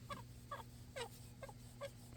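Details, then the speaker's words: JCB 260T skid steer HVAC heater blower motor, removed, dirty from poor maintenance, turned by hand: sharp high chirping squeaks two or three times a second; bearings or bushings suspected, not confirmed. "squeaking sound so I don't know if this thing has got bearings or bushings in it but we are going to find out"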